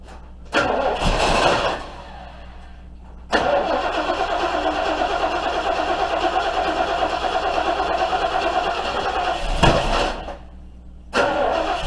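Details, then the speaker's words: 1971 Ford Torino 351C V8 first start after carburetor replacement, vacuum lines and choke wiring redone: short crank and stumble, then rough run with uneven pulses, cutting out and recranking; catching but not holding a steady idle. "smells like we're getting fuel so time to try to start it up"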